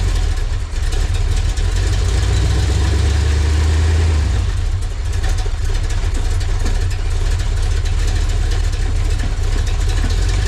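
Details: Chevy LT1 V8 swapped into a Jeep YJ, started after no-spark/no-charge repair: deep, steady V8 idle holds even with no misses or knocks, settling smoothly after a brief dip; normal healthy idle.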